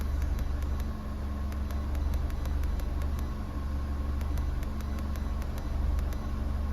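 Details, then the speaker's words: 2012 Holden Barina, 1.4 L EcoTec engine, after intake VVT solenoid replacement: rpm hunts slightly on startup, then smooth steady idle with light even injector ticking; zero misfire counts on all four cylinders. Normal idle. "so there you go folks as you saw it hunted a little bit on the RPM on Startup but there was no misfire at all you could hear the engine was actually really smooth"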